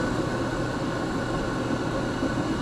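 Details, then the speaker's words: Hybrid Fire Free Heat Machine model 150 outdoor wood boiler, over 10 years old, blower cover removed, blower kicks on when the light switch is flipped: even, steady whoosh of air with a constant low hum, no scraping or wobble; draft blower running normally. "like I said whenever I cut this switch off to cut the light off the blow kicks"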